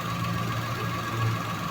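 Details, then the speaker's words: Fiat Mobi three-cylinder Firefly engine at idle with a constant hum and fine fast buzzing tick on top; not a clutch release or belt bearing, traced to the diaphragm in the top of the valve cover. "barulho parendo de rolamento de correia de colar de embreagem né Não é nada disso"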